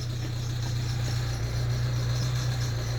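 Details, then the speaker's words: Ford Transit Connect diesel with a new vacuum pump, high-pressure sensor and cam sensor: a light, quick rattle of three to four per second at idle that disappears when revved; owner suspects the power steering pump, not confirmed. "sounds like the power steering pump I'll tell you what I'm going to do"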